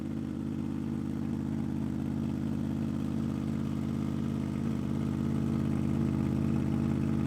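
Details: 2005 Honda VFR800 V4 with gutted exhaust, cold idle after 10 days outside in snow and sub-zero temperatures without a battery charger: deep, steady rumbling idle, even firing, no ticks or clatter; healthy cold idle.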